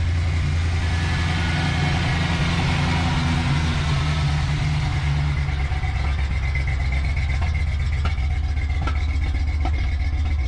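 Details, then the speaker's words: Fox body Mustang at idle. Steady low idle broken by sharp, irregular pops, a new symptom. Suspected spark issue: a plug firing only intermittently so the cylinder fills with fuel; not confirmed. "so you hear that pop typically that's going to be a spark issue i mean the spark plug is not firing all the time it's probably firing every other time or something like that"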